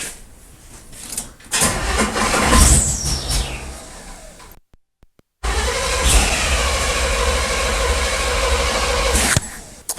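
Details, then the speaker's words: 1979 Chevrolet half-ton square body on a 47-degree day, carb possibly flooded, with a line capped off to test: starter churns steadily about two and a half turns a second with a thin weird whistle, engine never catches. "I don't know I'll try capping that off to see if that makes any difference at all it's got a real weird whistle going on"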